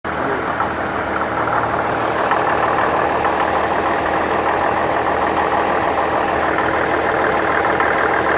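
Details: 2015 Infiniti QX70 at steady idle: a light, fast pinging or ticking knock at roughly three per second over the engine; cause unknown.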